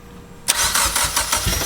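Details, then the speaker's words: Mitsubishi Evo X being rebuilt after a wreck, first start after repairing the engine wiring harness, with the MAF plugged in; short quiet lead-in, then a sudden burst of fast uneven pulsing as it cranks and catches cleanly. "that's a good sound right there some fuel all right now to that's awesome that's good to hear"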